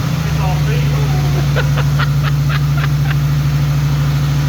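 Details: Turbo Trans Am at first start after partial overhaul: cylinder heads revised, new camshaft, valves adjusted, new turbo, break-in oil. Running at raised rpm at the start of break-in. Steady, even hum with no knock or miss; a few light ticks pass briefly. Normal fast idle.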